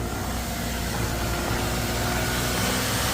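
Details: 2009 Mazda RX-8 Grand Touring, 6-speed manual, 215k miles, not run for 8 months, low compression suspected. It previously wouldn't idle and gave a high-temp warning, and it smokes. The cold rotary idles unevenly, hunting and sagging as if struggling to stay running: unsteady idle.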